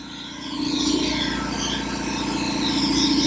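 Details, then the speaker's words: Revived long-idle belt-driven air compressor on first run, pumping past 120 toward 140 psi: uneven rattle riding on the steady pump beat about three or four per second; source unknown, pump a little warm afterward; no air leaks heard. "I don't hear any air. I did hear a bunch of rattles. I don't know what's rattling, but that's a little warm."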